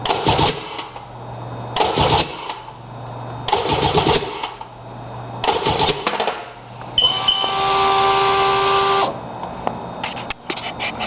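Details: Sea-Doo GTX DI with a no-start: repeated bursts of starter cranking with short pauses between, and it never catches or runs; cranks, won't fire.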